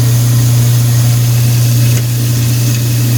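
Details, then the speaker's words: Apartment garbage disposal, previously seized and freed with a quarter-inch wrench, run with water: steady low hum, even, without grinding or stalling, with slight vibration; normal running after unseizing. "So let's turn it on. Here, it's running. Just like to run a little bit of water in it."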